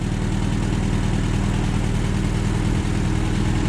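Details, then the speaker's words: 1958 Allis Chalmers D14 tractor running again, PTO engaged and spinning: steady low rumble at constant speed with an even beat, no knocking or grinding; purring, healthy. "Just listen to that baby purr. It ain't no stop. No. Yeah, PTO spinning."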